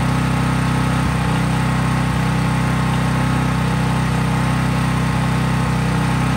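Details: Craftsman 5000 W generator, used about once a year, running with no load or only a lamp or drop light plugged in. Steady, even hum at constant speed with a regular low thrum, no hunting or surging; normal healthy running.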